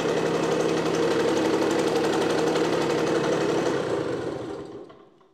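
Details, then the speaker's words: Automatic two-speed Tunturi Pappa two-stroke moped after spring service, carburettor cleaning and idle adjustment; smooth regular idle about four beats a second, no misses or clatter, dying away evenly; running well. "Well, now the maintenance has been done and it started to work well"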